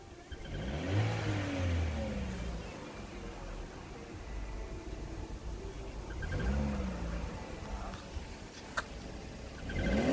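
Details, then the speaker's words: 2015 Chevy Cruze Eco LT 1.4 turbo petrol, revved in bursts: thin squeaky chirp on each rise, worse on cold start, at idle and acceleration; cause was two loose spark plugs. "so that's a squeaking see you can hear it when I rev so usually it's when I'm idling or"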